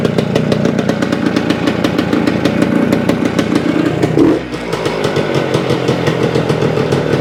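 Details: 1975 Suzuki TS-250 two-stroke, first start after a no-start, about 30 degrees out: crisp, rapid ring-ding firing, steady apart from one brief dip, then picks straight back up; running healthy after loose screws re-secured and stator rewired.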